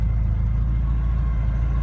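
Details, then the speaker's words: Porsche 944 at idle: a deep steady idle with a faint constant high whine that was never there before; the idle was described as jumping. Whine source unknown. "There's a whining that I can tell you was never there before."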